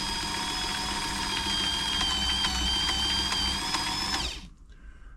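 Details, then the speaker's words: Frister & Rossmann 904 sewing machine during a service: steady, fast whirring with a tick about four times a second, but the needle isn't moving side to side. The zigzag mechanism is seized and stiff from lack of lubrication and is being oiled. "but the needle's not moving so I think that the actual spring the spring that brings the needle back from the zigzag stitches not strong enough to bring it back because of because lack of lubrication really"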